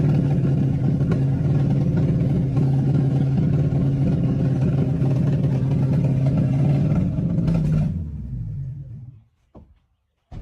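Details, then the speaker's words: Old engine recovered, wasps possibly in exhaust, sticking throttle plates: runs rough and steady about eight seconds with some popping, then sags and stalls; carburetor needs work, needle and seat possibly stuck, unconfirmed. "Yeah, I think that carburetor just needs work to keep it running."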